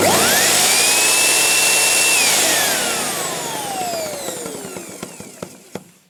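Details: Sebo Professional G1 vacuum after fitting new genuine Sebo sensor: motor whines high then spins down, sharp separate intermittent clicks as it slows; source unknown after motor and parts checked, owner suspects defective belt.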